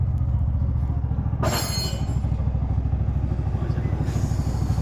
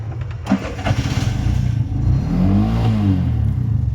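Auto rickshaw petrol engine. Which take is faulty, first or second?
second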